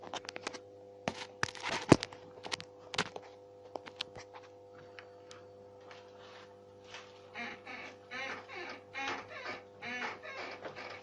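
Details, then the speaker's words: VAZ 2107 front suspension: rhythmic rubbery squeaks from new front control-arm bushings (Trek brand) a couple of weeks after replacement as the body is rocked; cause suspected incomplete tightening of arm pivot nuts; tightening (nut took about 4 turns) cured it. "этот скрип появился после замены сайлентблоков передних рычагов"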